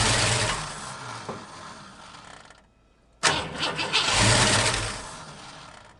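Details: 1950 Ford F1 that sat years in a barn, carb cleaner sprayed down carburetor throat: catches with rough burst, revs unevenly, fades, fires briefly again; not staying fuelled, carburetor to be cleaned; runs only briefly then dies.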